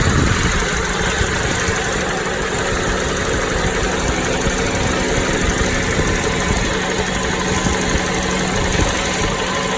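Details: Toyota Noah 60-series engine at idle, wind hiss: dense gravelly rattle, not ticking, from engine centre not alternator side, louder in cabin; flushing and OH+ gave no change. Cause unknown.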